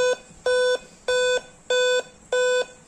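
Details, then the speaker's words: Dell Inspiron 3542 i5 laptop with fully drained battery, powered by adapter: five steady high boot beeps repeating evenly, with a blinking LED and a 'Time-of-day not set' message; the beep fault's meaning isn't given. "then you can also hear the five time beeping sound which is the another problem for that I will give the solution in upcoming videos"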